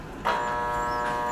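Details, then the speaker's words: Water pump motor plugged in: steady electrical hum that holds, motor does not spin or run up to speed; motor hums but won't start, failed start capacitor. "kapag isinaksak niyo hindi umiikot yung motor ng water pump umuugong lang siya parang ganito mga kaibigan"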